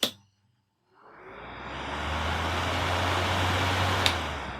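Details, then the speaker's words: Stand fan on a newly wired triac regulator, switched to position 3 (high): silence, then a steady, even whoosh of air and low motor hum with no rattle or scrape; normal high-speed running. "এবার দেখুন এটা আর এক পাক ঘুরিয়ে দিলাম, খুব স্পিডে ঘুরে উঠবে"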